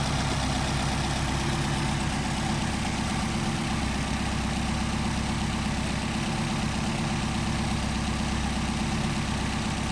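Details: Engine with freshly rebuilt Solex carburetors, idle mixture screws adjusted for best idle: low, steady idle with an even rumble that neither hunts nor drops off; normal.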